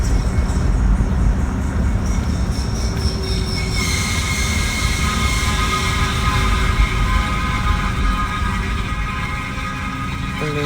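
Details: 2018 Jeep Renegade running with a harsh metallic grind and steady squealing tone that doesn't follow speed; happens about once or twice a year and stops after shifting into reverse or after a few minutes; cause unknown, owner wonders if something is stuck.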